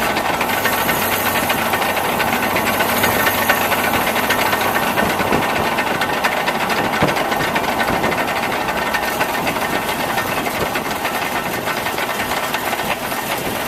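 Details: Truck recorded with camera mounted underneath: loose, uneven tapping about twice a second over a hissy idle, not tied to revs; knocking from the engine, cause unknown to owner.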